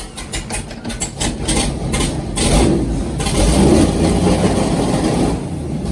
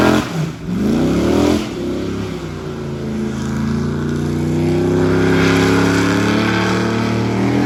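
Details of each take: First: LS3 V8 airboat with one dead cylinder found by exhaust temperature, after a new coil pack: catches into an uneven, lumpy idle with stumbling beats, still missing; owner suspects a fouled plug, and an earlier backfire blew the valve cover gasket. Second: LS3 V8 airboat on water test after repair: strong, even roar climbing smoothly with throttle and holding steady under load coming out of the hole, where it used to act up; no misses or pops, running clean.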